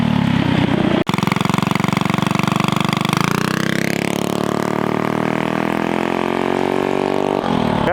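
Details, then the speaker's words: Mini ATV with a GoPowersports Juggernaut torque converter, launch test: the engine note holds, then climbs steadily in rpm as speed builds instead of sticking at one point; a normal-feeling launch. "So like if y'all could hear that, it just, I don't know, it felt more normal. Like the engine climbed an RPM as it increased speed."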